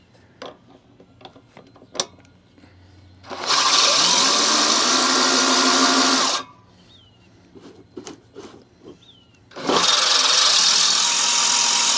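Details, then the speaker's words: Allett Stirling 51 reel mower being backlapped, drill-driven in reverse, after reel adjusted down one click on both sides: two even bursts of high hissy grinding against the bedknife; contact restored and steady. "But you can hear how after a while it's not as noisy, so that's either the grinding compound being moved off of the blade, or it's, it grinding and should be adjusted down a little bit."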